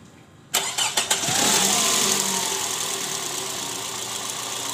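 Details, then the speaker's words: 2008 Toyota Previa at 186,000 km, which had a rough "krrr" engine sound in D and R, after replacing the worn, loose balancer shaft and its bearings: brief cranking, then a smooth, even idle with no rough shake or knock. "Oke Guys aman suara mesin udah halus memang penyebab suara mesin kasar gymnasium 2z yang kita tangan ini dari balancer shaft ya"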